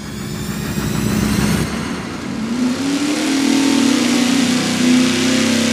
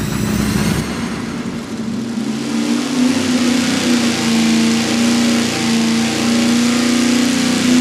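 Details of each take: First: wow that's pretty good yeah basically started at uh 67 spiked up to 68 and worst case scenario was 6'2 and finished at 6'4 Second: 500 hp V8 fed by a 20 gallon-per-hour mechanical fuel pump with -8 ports, on a wide-open pull. A loud steady note wavers and stumbles near the top as fuel starvation leans out the engine.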